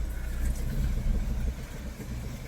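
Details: Car towed in by the customer for a weird growling noise: as it rolls slowly, a deep, uneven growl pulses with wheel rotation from a front tire rubbing the body.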